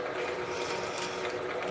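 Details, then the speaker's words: Quarter-inch drill on a Bridgeport: a rapid, uneven, harsh ratchet-like chatter over the spindle noise because the workpiece block is not clamped well enough, risking a snapped drill. "Oh, that doesn't sound I might not be able to drill through this like this cuz it's not clamped well enough."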